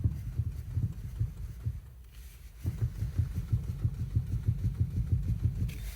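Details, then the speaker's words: Lada Kalina 1118 sedan, knock growing over two months, heard when jerking the steering wheel: dull low thumps in quick bursts about three a second, located under the feet near the steering rack; rack suspected, unconfirmed. "если that отрезка начать крутить руль дергать то слышен стук и уже определяете дело стук в моем случае так раз под ногами где находится рейка"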